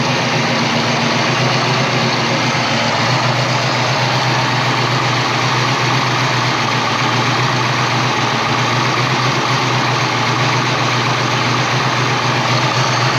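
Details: 1988 Saleen Foxbody Mustang V8, fresh motor with Trick Flow 170 heads, Kenne Bell supercharger, Megasquirt ECU: loud idle with uneven stumbling beat; misfire, pyrometer showed cylinders 5 and 6 running cooler; plug wire suspected, later traced to the Megasquirt setup.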